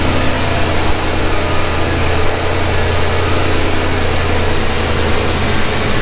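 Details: 1991 Ford Mustang GT Foxbody convertible, true cold start after throttle body cleaning and overhaul: deep, even burble at a steady idle with no hunting or surging; idle that previously hunted is now fixed.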